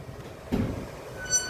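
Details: dECO SUSU electric scooter, front wheel turned by hand: a dull knock, then a brief thin high squeak; the owner reports the front wheel squeaks when pushed and in light gear.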